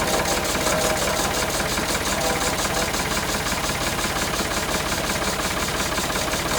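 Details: Vintage E.S. Hindley cast PTO saw bench, unused for about 20 years, driven by a Ford 4000 tractor PTO on first test: a steady, even whirr with a light regular rhythm of about three beats a second and nothing harsh. Normal running.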